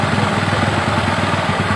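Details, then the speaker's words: Small motorcycle carburetor adjustment, engine idle raised to about 2000 rpm and stable, air screw turned clockwise: even popping exhaust beat, speed starting to sag; idle dropping during air screw adjustment. "Nah, setelah tinggi, kira-kira udah stabil, baru kita putar yang bagian setelan udara ini ke kanan sampai RPM-nya menurun."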